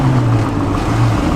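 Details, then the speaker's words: Old Jeep Wrangler abandoned 20 years, first drive back on the road: deep, uneven, lumpy drone under road noise, motor sounds like 3.5 cylinders; a dead cylinder with a melted piston. "The motor does sound like 3.5 cylinders."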